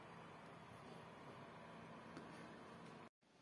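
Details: Steady, even fan whoosh from a desktop PC during a GPU stress test on a GT-series card, powered by a PC-Tech FA-500 500W ATX supply with a 120mm fan; no rattles, ticks or whine.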